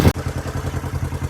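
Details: 1973 Honda CL450 twin that sat for seven years, idling after a carburetor rebuild and petcock cleaning. It has a steady, even low thump of about eight pulses a second with no misses or clatter. Normal, clean idle.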